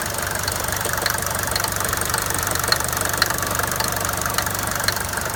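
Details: Mercedes 200D W124 diesel at idle: sharp irregular knock a few times a second above the diesel clatter; source not yet identified.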